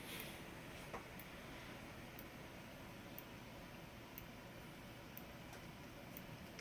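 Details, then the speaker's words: Edwards EST 757-5A-CS Integrity chime strobe, strobe-only test on a 12 V DC bench supply; faint sharp ticks about once a second over a thin high squeal, normal for this enhanced, synchronizable strobe. "As you can see, it does make that high-pitched squeal because this is an enhanced strobe."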